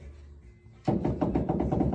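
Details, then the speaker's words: 1964-73 Mustang front hub bearing with no grease: rotor rocked, giving a quick even series of dry knocks; bearings still loose and unloaded. "I can move it back and forth and you hear that it's still loose okay there's no load on those bearings okay"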